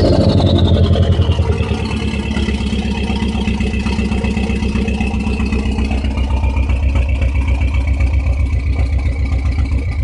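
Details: Dodge SRT-4 with suspected rough idle: low pulsing idle rises briefly then settles, uneven lumpy beat through the exhaust; cause unclear.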